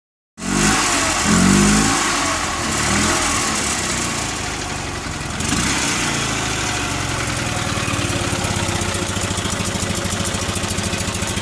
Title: Fiat 126 BIS engine after rebuild